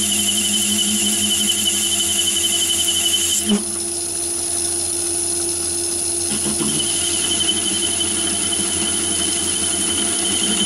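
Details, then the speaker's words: Myford ML7 lathe with 125mm chuck: cut rings with steady high squeal and rough buzz, chatter likely from radial free-play, chuck overhang and movement on the spindle thread. "so that last cut was 110th hour overall and you could hear it chattering there with that one"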